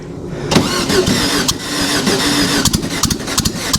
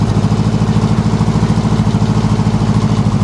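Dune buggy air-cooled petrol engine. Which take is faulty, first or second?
first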